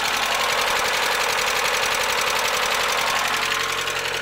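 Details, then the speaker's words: Mazda Miata idling before Seafoam treatment: fast, light ticking at three or four a second, evenly spaced over the idle. The lifter tick returned after being fixed before. "all right so this is the ticker the lifter take notes making check it out it sucks but hopefully the seafoam will clean it out"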